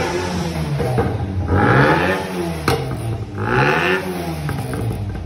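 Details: Tofaş car engine after a rebuild with enlarged cylinders, earlier noise reportedly coming from below: catches, gives two clean rev blips and returns to a steady idle with no knocking. Sounds healthy.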